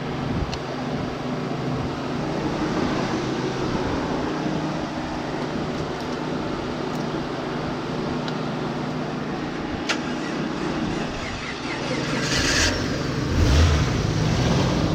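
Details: 1988 Jeep Comanche Pioneer 4x4, 4.0L inline-six, jump-started after sitting for years, running after a treatment was applied to the squeaking belt: even, steady hum with no chirp or squeal; belt now runs quiet.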